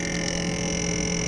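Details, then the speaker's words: Frigidaire FRS23W3AW1 refrigerator, owned since 2005, on its second fan motor: constant buzzing drone with a high whistle and rough flutter as the freezer evaporator fan blade hits built-up ice, which can stall the fan completely. "it get to the point where it would be so much ice and the evaporator fan to the point where it would stall out the fan completely"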